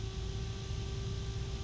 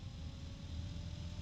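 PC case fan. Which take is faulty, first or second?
second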